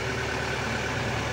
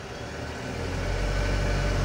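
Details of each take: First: Mitsubishi Canter Euro 4 common-rail diesel: steady, smooth clatter at a raised even idle with no pedal input, rpm raised by turning the variable resistor idle-up control, as used for bleeding or PTO; no knocks or misses. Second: Mitsubishi Canter Euro 4 diesel truck: idle rises to a steady higher rpm without the throttle pedal as the cab idle-adjust knob, a potentiometer/variable resistor, is turned, holds, then eases back down; raised idle from idle-adjust control.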